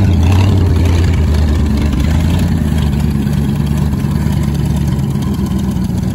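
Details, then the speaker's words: 1967 Ford Thunderbird, 390 FE big-block V8, C6, sitting an estimated 20–30 years, first running: smoking, hard to keep running, low uneven idle hunting and stumbling; carburetor needs adjusting, owner suspects too much ignition timing; rough idle. "She's smoking some stuff off. It's hard to keep it running. It's not happy at idle. I gotta do some carburetor adjusting and figure out what it wants."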